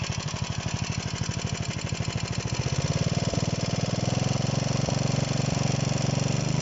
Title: ДМ 1 работа двигателя после кап ремонта.